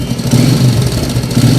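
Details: TVS 110cc motorcycle engine idling with a busy, uneven clatter over a low thump, attributed to a slack timing chain; the excess engine noise is fixed by adjusting the timing chain.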